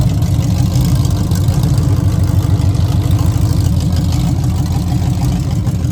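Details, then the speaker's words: 1966 Chevelle with open headers, started after new wheels, brake bleeding and starter repair: loud, lumpy rumble with an uneven, stumbling beat; owner says it acts like it's detonating or missing, cause unknown, though it ran fine on an earlier drive. "I want to figure out the issue because for some reason it's acting like it's either detonating or missing, which is strange."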